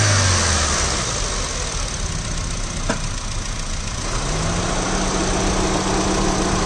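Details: 2006 Honda City ZX engine; idle carries an uneven tapping about three or four a second, then revs climb smoothly; engine noise present, cause not stated.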